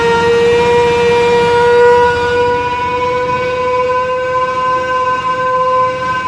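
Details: Mini hydrovac vacuum rig: 3.8 L V6 supercharger (likely M90 rotors) plumbed backwards, 15 hp Chinese motor at idle, reading about 20; loud steady howl at mid pitch sagging slightly as it pulls; working hard under vacuum.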